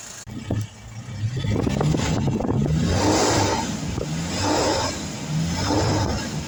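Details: Mahindra Xylo diesel: rough, uneven idle clatter rising and falling with throttle blips, odd engine noise of unclear cause.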